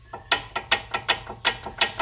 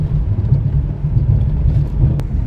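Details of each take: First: 2003 Toyota Sienna front brakes, previous job used silicone instead of anti-rattle hardware, silicone removed: sharp dry metallic clicks about four a second, uneven, no engine, as loose pads rattle in the caliper bracket; heard with each brake application. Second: 2006 Chevy Equinox after front suspension repair, driving: even low road rumble with no clunks or rattles over bumps, much quieter than the earlier bag-of-rocks noise; front end sounds tight.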